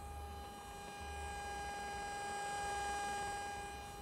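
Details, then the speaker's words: 2007 BMW 328i E90 with ignition and radio off; a steady buzzing tone from the speakers starts a few seconds after a door opens or the car is unlocked and continues for minutes, apparently linked to the locking system. "getting a weird noise frequency out of the speakers during certain triggers that's like if I open the door here it won't do anything but then it gets started a couple seconds later if you can hear that"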